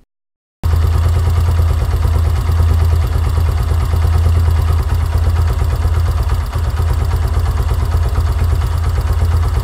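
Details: Yamaha YBR125 at operating temperature, idle set 1300–1500 rpm: steady single-cylinder putter at even idle, no stumbles or hunting; idling smoothly.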